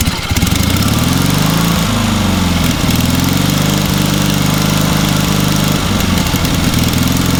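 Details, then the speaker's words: Small single-cylinder engine on a trailer-mounted man lift, found with water in the oil and corroded intake: starts easily and settles into a steady, even idle with no misses or knocks; normal idle. "Yeah. That thing runs amazingly well for what it is."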